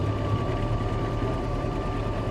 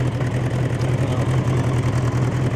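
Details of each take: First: Bombardier Bombi with Holley Sniper 1100 EFI, after coil replacement: steady fast idle with constant whine near 2,000 rpm though set to 900; engine also cuts out after minutes, battery not charging, EFI tuning suspected. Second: Bombardier Bombi fitted with a Holley Sniper 1100 EFI, new coil, cracked exhaust manifold now fixed: steady, even low-pitched idle with a smooth pulsing rumble and no ticking or exhaust puffing. Runs much quieter since the manifold repair.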